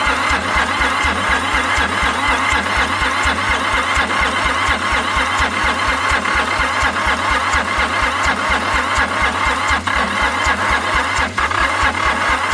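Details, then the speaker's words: Long-abandoned International 284/285 4x4 diesel tractor, primed, with cylinders previously filled with ATF: steady cranking at about two beats a second for over ten seconds, never catching. Owner suspects the ATF is still clearing; it later runs, smoking. "So, I filled all the cylinders with ATF, so it might still be trying to get rid of some of that, but it definitely seems like it's primed cuz when I gave it some gas, it was definitely trying."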